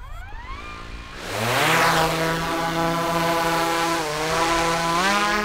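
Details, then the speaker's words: DJI Mavic 3 drone, manual takeoff using the left stick. Several high motor tones climb quickly together, then hold steady with small pitch shifts as it lifts; clean, even, normal spin-up. "i'm taking the drone up manually now by pushing up on the left stick but because i just wanted to get the noise out of this video"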